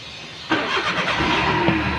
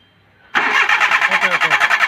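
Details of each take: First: Maruti Suzuki Alto that cranked but wouldn't start, no lights in meter board: brief crank, then catches cleanly and settles to a steady idle without misfire; now starts normally. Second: Maruti Suzuki Alto: quick, even starter cranking about three turns a second for over a second and a half, engine never catches, then silence; cranks but won't start.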